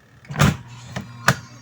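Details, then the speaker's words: Eureka 6.8 spin dryer after repair of a no-spin fault: lid clunks shut, then a steady low motor hum as the drum spins; dryer now running normally. "So ayun, umikot na. So okay na to. Goods na."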